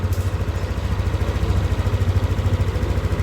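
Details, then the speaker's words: Yamaha Aerox scooter that lost power and sputtered at high rpm, first start after fitting new injector (old one tested different): steady, even fast putter, no stumbles or misses; runs smoothly. "Ini kita coba lakukan starting motornya. Oke, motor nyala ya."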